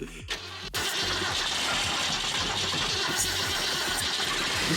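Rapid cranking at about three beats a second with hissy sputters; the old six keeps turning over but never catches.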